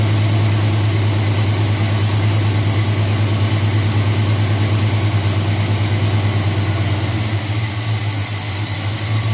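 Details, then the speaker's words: 1978 Chevy C10 350 V8 just restarted after new Edelbrock intake, water pump, belts, thermostat, hoses and valve covers, running on choke: deep smooth burble with even pulse, no skips; idles cleaner than before, when it misfired. "better than it used to. A lot more smooth and clean. Hopefully there's no more misfires like it used to have."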